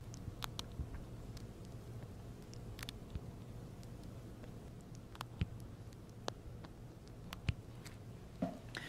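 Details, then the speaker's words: Galaxy Z Fold7 hinge at 150,000 folds in a folding durability test: sparse sharp ticks and faint crackles at irregular moments as the phone folds, in a quiet room; the hinge is catching, and no residue is seen at the hinge. "자, 이렇게 힌지 쪽에서 크래킹 사운드가 조금씩 그 힌지에 타다닥 타다닥 걸리는 소리가 조금씩 들리고 있습니다."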